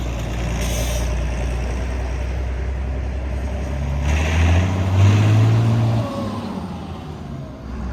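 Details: 6060 tractor with loader, started with a little ether, driven off a trailer: deep, steady diesel rumble with even firing, swelling briefly under load as it pulls away; strong power, no blow-by; normal running.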